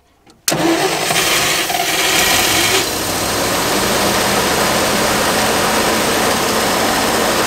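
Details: 1969 Fargo 500 dump truck, long-stored engine started on gas poured into the two-barrel carb: short silence, then it fires with a rough revving roar settling to a steady run; now running, smoking, slight exhaust manifold oil leak.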